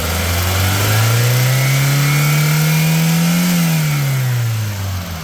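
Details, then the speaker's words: 2006 Hyundai Getz, 78,000 km, recently changed engine oil and coolant, no oil leaks or blow-by gas: engine climbs and falls back smoothly through the rev, even clean note, no knocks or rattles; healthy. "Engine sound వినొచ్చు మీరు ఎలా వస్తుంది ఏందనేది చాలా smooth గా ఉంది engine"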